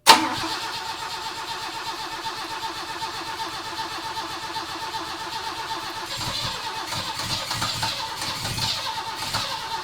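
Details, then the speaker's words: 1969 Volvo 164, first start of the freshly rebuilt carbureted engine with ignition set to 16° BTDC: fires straight away and runs smooth and quiet with an even beat, picking up cleanly with light revs; normal start and idle. "she's starting [Music] uh sounds so good she's so quiet up there that's amazing"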